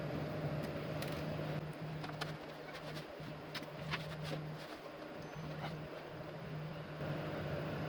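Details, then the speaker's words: PS4 Pro after heatsink dust cleaning and fresh thermal paste, just powered on after reassembly: soft even fan hush with faint low hum, no roar; much quieter than before, when it was loud and overheating. "I'm gonna let it sit and let it run for a bit but as you can hear it is already running a lot quieter than it was before"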